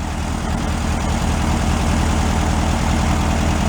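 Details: 1968 VW Beetle air-cooled engine, sat 5 years and still on old fuel awaiting change, idling: steady, even low putter with regular firing and no knocks or misses; running smoothly.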